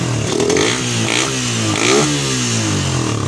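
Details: Suzuki Satria FU with stutter problem, after carb cleaning and new plug, now running on a good battery: small single revs up and down smoothly, no stumbling; normal revving, fault traced to the charging system.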